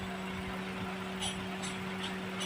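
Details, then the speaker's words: Toyota/Daihatsu engine after an overheating repair and cylinder head gasket replacement, idling stationary at 98°C. The radiator cooling fan switches on: steady hum and airy rush over a smooth idle. The fan should cycle off once temperature drops to 89–90°C. Normal operation. "nah ini suhu 98 derajat motor nyala"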